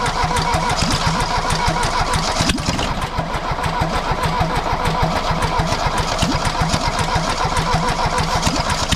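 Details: Mercedes W123 200D diesel started for the first time after over 25 years standing, after new fuel lines, pre-filter and filter, refurbished fuel pump and timing set to 24° before TDC; it catches and settles into an even, rattly clatter with steady pulses, a clean start and healthy run.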